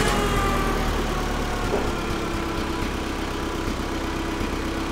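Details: Vintage Allis Chalmers FP-40 forklift after fuel system overhaul, idle mixture screw turned back out, no air filter fitted: steady, even low idle settling slightly, no misses; normal idle (spec about 500–550 rpm).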